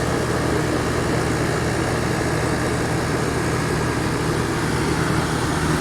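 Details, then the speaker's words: 1983 GE Carry Cool air conditioner, R-22, fan motor oiled and cleaned, air in at back and out top and sides: steady hum, low motor drone, strong smooth airflow, blowing cold, no rattles or knocks; normal running. "A lot of airflow. Sounds good. Oh yeah, nice and cold."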